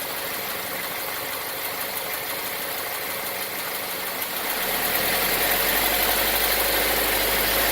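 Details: 2018 Nissan Versa HR16DE petrol engine, about 8xxx miles: at idle, then under load a quick, even ticking knock of roughly three to four per second; owner suspects engine knocking, cause unconfirmed.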